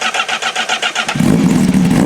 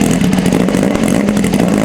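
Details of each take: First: 2025 Honda CBR1000RR-R Fireblade SP with full exhaust, after dyno run: catches after about a second and settles to a steady, even idle; check engine light gone. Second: 2025 Honda CBR1000RR-R Fireblade SP with full exhaust, cold start before re-flash: lumpy, uneven idle stumbling and surging, attributed to a bad engine-control map; check engine light was on.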